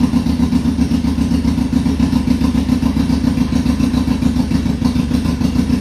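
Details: 2002 Yamaha Fazer 1000cc four-cylinder motorcycle, cold start after sitting over two months, carburetor cleaned: steady, even firing at a fast idle with no misses or knocks; all four cylinders working, engine healthy.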